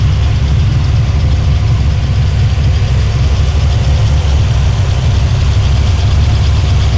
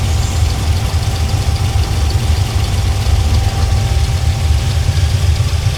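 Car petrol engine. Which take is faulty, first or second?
second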